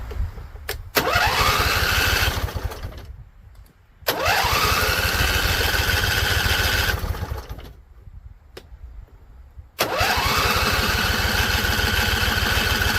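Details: Husqvarna Z254 mower after no spark was seen and the plug was changed, run on carb spray. It fires and revs, then dies, three times over; owner thinks the carb spray burned off, later suspects flooding or a tank not venting.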